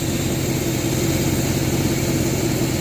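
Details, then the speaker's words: 1967 Chevelle V8 backdated to an original points distributor with Mallory wires and Accel coil, timing set at 6° initial and 38° total: steady, even idle with a low burble and no misses; runs well. "seems to run pretty good when it's like that so that distributor around pretty good"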